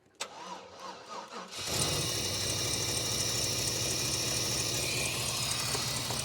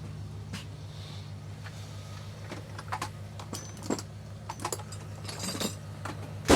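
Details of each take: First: 1995 GMC, timing off: slow dragging crank about 1.5 seconds before it catches and idles; hard cranking from incorrect ignition timing, later corrected to 0°. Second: 1995 GMC after distributor replacement with ignition timing set to 0°: quiet, even low idle under some clicks and handling noise, running clean; normal idle after repair.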